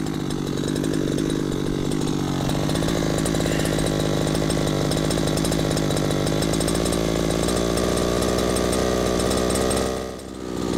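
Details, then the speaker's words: Two-stroke gas RC helicopter engine, low-speed needle turned back in to good setting of one and an eighth: steady even idle buzz holding speed, idle picks up, four-stroking decreasing; normal idle with correct low-speed mixture. "can hear the idle pickup that is very typical when you turn in the low speed screw you're decreasing the amount of fuel decreasing the amount of fuel leaving it out causes the engine to run just a little bit faster"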